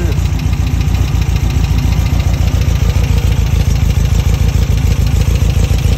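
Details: Engine with dual 40 mm Weber IDF carburetors idling after the idle jet was removed and cleaned during carburetor synchronization; steady idle with even low pulses about three and a half a second, no stumbles, running cleanly.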